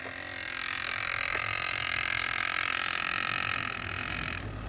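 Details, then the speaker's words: 1989 Honda CBR600 restoration with cleaned carbs, choke on: steady starter whirr that never catches, engine spinning freely with no fuel because the fuel supply was not properly turned on. "Right, my fault, I didn't have the fuel on properly again, so I've never had a fuel cap before."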